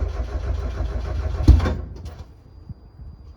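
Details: NA Miata right after installing an ISR 340LPH fuel pump, tank low on fuel: starter cranks about a second and a half, engine never catches; cranks but won't start. Cause suspected, not confirmed.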